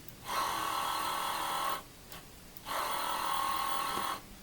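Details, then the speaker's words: Commodore 8050 dual disk drive, recovered from trash and restored: the second drive's spindle motor runs in even, high whirring bursts with slight bearing noise, the motor louder than the bearing. Nothing is seized. "drive has actually no ball it has a little bit of bearing noise but you can hear the motor louder than anything else so that led me to believe that at least things are free to move on the drives"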